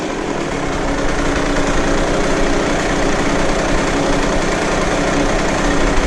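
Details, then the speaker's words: KTM 65 two-stroke motocross bike after repair of mid-to-high-throttle shutdown (new power valve hose, plugged pilot jet and carb cleaned); busy, raspy, even note without dropouts or bogging, sounds a lot better. "Sounds better. Sounds a lot better."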